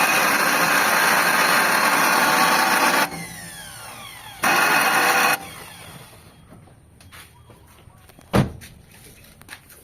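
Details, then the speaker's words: Mitsubishi Lancer GLXi that won't start on the key but starts by push, starter and solenoid already replaced: harsh metallic grinding whir in bursts on each crank, engine never catches; suspected worn starter pinion or flywheel. "So ayan mga bossing nadinig niyo yung tunog ah tunog bakal yan mga bossing na nanggagaling doun sa starter o kaya naman sa flywheel."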